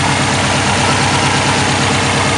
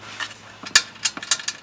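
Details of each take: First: Subaru WRX after installing a Twisted Motion 20G top-mount turbo (OEM water lines bypassed, base map): loud, steady, even idle with no ticking, rattle or exhaust leaks; normal idle after install. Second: Subaru WRX with a newly installed Twisted Motion 20g turbo: light, uneven metallic rattles in quick bursts. First feared a damaged turbine; it was the loose internal wastegate flapper. Planned fix: a bracket to hold it shut, since an external wastegate is used.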